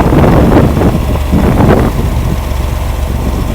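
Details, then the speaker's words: Rampy 80 hp engine built from mostly used parts, idling at its first start: a heavy, low chugging idle of about four beats a second, fairly even with no knocks or misfires. Normal idle. "First start, baby. You got to witness it. Listen to that thing idle. That's just beautiful."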